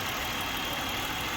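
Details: 2007 Buick LaCrosse 3.8 V6 at idle with EGR not actuated: steady even smooth hum, no misses or knocks, normal idle; opening EGR makes idle rougher.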